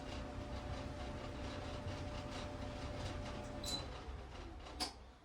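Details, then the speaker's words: Gas dryer running after all five drum wheels were replaced, not level on carpet: quiet, steady low rumble with a faint even hum and burner flame, no squeal or scraping; the drum turns normally. "Much quieter. It's not level right now because it's sitting on this carpet, but no more squealing."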